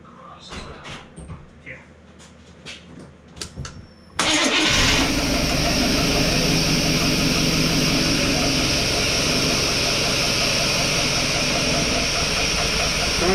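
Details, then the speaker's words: 1987 Chevy K5 Blazer, freshly rebuilt small-block V8 with TBI, first start on 10-year-old ethanol fuel in the injectors: scattered cranking before it catches and settles into a steady idle. Slow start. "all right so it's trying to run it just ain't got no i'll do the right thing that the tbi guys say to do and just give them a couple wraps"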